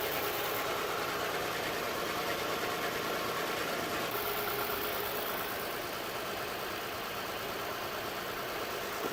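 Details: 2007 Saturn Vue with codes P0304, P0300, P0302: idle lopes unevenly about three times a second under a steady hiss, missing on one cylinder. Plugs, coils, compression and fuel pressure checked fine; the cylinder 4 fuel injector was bad.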